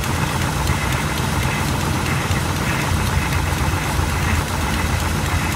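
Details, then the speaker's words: 1986 GMC small-block 400 V8 with Edelbrock carburetor, after idle adjustment: loud idle with lumpy, uneven beat under exhaust rumble; still rough idle, spark plugs suspected, not confirmed. "it's idling a little rough but man we might be down to spark plugs"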